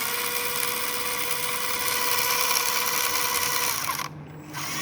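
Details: SG Pinecone Forest 2402 1:24 RC crawler, about 1.5 months old, driving forward versus reverse; harsh high gritty whirr with fast rattling chatter and heavy vibration from central gearbox assembly when moving forward, gearbox grinding.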